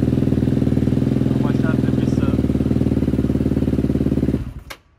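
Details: KTM 250 dirt bike, which ran poorly before, after cleaning its Keihin FCR carburetor: cold engine on choke with raised idle. A fast, even single-cylinder beat for about four seconds, then shut off; running fine.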